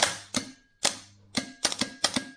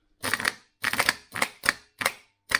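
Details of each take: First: Starter for Mk3 Ford Cortina 2.0 Pinto on bench test, solenoid pre-engage check; crisp sharp clicks in quick bursts with quiet gaps, solenoid pulling in cleanly. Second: Starter motor for Mk3 Ford Cortina 2.0 Pinto, bench-tested via jump leads, supposedly new old stock; sharp single clicks about twice a second, solenoid engages but motor doesn't turn; seized.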